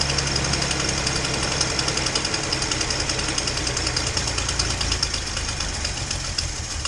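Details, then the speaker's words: Datsun 240Z after new spark plugs, previously running on four cylinders and now running much better. Sharp, uneven ticking about four per second over a lumpy idle: an exhaust leak at cylinder two, possibly at the EGR port; idle is still not great. "you know you can probably hear i got a bit of an exhaust leak uh and the idle's still not great i'm guessing well i know there's an exhaust leak on two i don't know if that's at the egr port or i"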